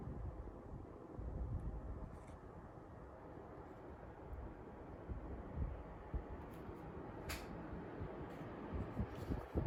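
Soft, even airflow whoosh with a low steady rumble and no rattles or squeal; the fan is running normally.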